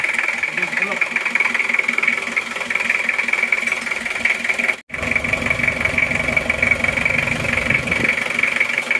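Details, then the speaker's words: Isuzu Panther diesel engine in Kijang, rebuilt with new liners: even diesel clatter at steady idle, no knock or miss, smooth healthy idle with clean exhaust just after start. "suaranya halus betul ya lihat asap knalpotnya baru saja hidup baru saja hidup Kenapa bersih"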